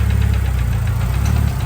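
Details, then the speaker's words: Turbo H22 Honda Accord CB7 engine build, first startup after no-start fix, warming at idle: light quick tick over heavy low idle rumble, quieter than before; owner suspects valve lash needs readjusting, coming from one side. "I definitely think that's the the valve latch needs to be adjusted again. It's not as loud as it was in the previous clip."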